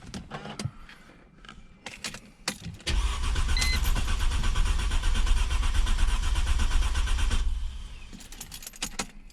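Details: 2002-2007 Mercedes C240 W203 M112.6, after replacing burnt 15 A ignition coil fuse #48 that caused crank-no-start: clean crank, quick catch and steady even idle; no misfire or stumble, fixed.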